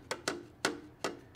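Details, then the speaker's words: STIHL FS 91R trimmer that died in use, recoil locked up: flywheel turned by hand gives sharp, uneven clunks while the piston does not move; internal clunk from major engine failure. "The Recoil is locked up but if I reach in here I can kind of turn the flywheel and the flywheel does turn but you can hear that clunking noise"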